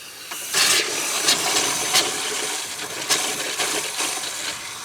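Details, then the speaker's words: 2012 Rockwood RV fresh water system turned on: steady rushing water hiss with sputtering spurts as lines purge air; normal water pressure. "well let's see if we got water pressure I do"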